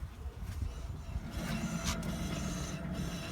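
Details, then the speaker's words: VW Jetta GLI 2.0 Turbo rear wheel hub spun by hand from underneath: a deep, rough grinding rumble; a groaning rear end points to worn rear hub bearings, to be replaced. "That deeper grindy noise, that's the wheel hub. That's what we're going to replace in an upcoming video."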